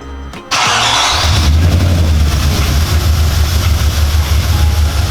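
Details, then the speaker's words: Audi S4 4.2 V8, restarted after work meant to cure its timing-chain rattle on startup: brief crank, catches and settles into a lumpy, throbbing idle with no chain rattle; owner suspects a misfire, maybe running on seven cylinders. "doesn't rattle so noisy v8 man it's lumpy"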